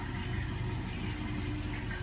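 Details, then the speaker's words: 1973 Dodge LA-block 318 V8 on an engine run stand, first start after sitting about 10 years; steady even low rumble at idle with no knocks, ticks or misses, oil pressure coming up to 40 PSI; normal healthy idle. "yeah I ain't gonna maybe you just need to be primed yeah yep it sounds great"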